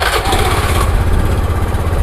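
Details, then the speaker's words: Honda Beat FI injection scooter after replacing faulty spark plug cap (sputtering, dying when throttle released): low even putter settling into steady idle right after start, no stumble; fixed. "ternyata motor setelah dihidupkan kita tes untuk jalan gas yang dilepas sudah tidak bermasalah lagi teman-teman"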